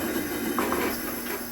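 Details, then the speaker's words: Coleman 414 Powerhouse two-burner stove (August 1993) main burner after priming, generator heated to vaporize liquid fuel, lighting lever down: even, steady hiss with no sputtering or popping; normal clean burner roar, no fuel leaks. "we're heating up that generator we want to heat up the generator so that it'll turn the liquid fuel to a vapor or a gas this process is called priming we're priming the stove right now"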